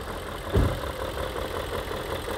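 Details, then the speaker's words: BMW E39 M5, S62 V8 on its original first engine at very high mileage, idling with the hood open: a calm, steady idle with clearly audible timing chain rattle and light ticking; the idle is smoother than expected for the mileage. "Ja, man hört deutliches laufö Kette, ne? als beimotor ist klar, aber es dickert ein bisschen und der Leerlau ist ruhig, ne?"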